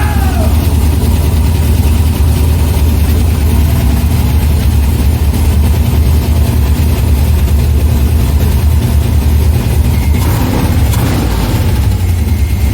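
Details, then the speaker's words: C6 Corvette with a junkyard V8 and Terminator X engine management, first start: a deep, even V8 rumble holds steady with no misses, knocks or ticks. Healthy idle. "we just got her to run as you can tell as you can hear i'm super pumped i don't even know what to say right now"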